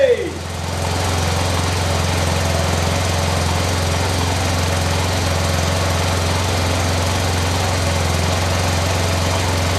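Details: After a new high-flow fuel pump was installed, the pump primes, then the engine catches and settles into a steady, even low beat with no misses; a healthy start and run.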